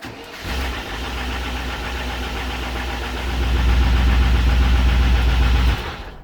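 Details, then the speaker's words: 1994 Range Rover V8 after ignition, fuel and EFI faults were addressed; fires instantly, then idles with a quick, steady ticking-knocking patter; suspected the newly fitted distributor, unconfirmed. "want that noise it's probably the distributor but it [ __ ] goes instant so we got a problem with this distributor"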